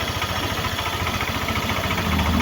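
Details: Yamaha NMAX version 1 that wouldn't start and reportedly stalls, now running; mechanic suspects dust passing a non-stock body-mounted air cleaner to the MAP sensor causes stalling: even low putter, steady beat, no misses or knocks; normal idle.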